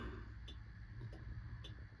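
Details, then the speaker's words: 2003–04 Stone Brothers Ingall Caltex Ford Falcon V8 Supercar waking after a decade: master switch on, ignition off, Motec powered. Steady ticking about once a second over an electrical hum, like a flasher can; pit-lane speed limiter guessed to be on. "and we've got what sounds like an indicator. Why have we got an indicator? No, that's indicator. So there's a flasher can going somewhere here."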